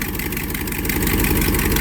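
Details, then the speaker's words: 1982 Triumph TR8 V8 with original dual factory exhaust at idle: loud rumble with raspy puffing chatter; exhaust leak, also smelled. "So, you can definitely hear there's an exhaust leak. That's not normal. I can definitely smell there's an exhaust leak."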